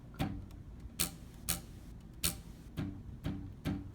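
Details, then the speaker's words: Prusa i3 MK2 x-axis belt tensioned all the way to the right: seven quick plucks, each a short low twang dying away, tension sounding about right. "When it comes to belt tension, this is it with it all the way to the right. This is what it sounds like when I twang it."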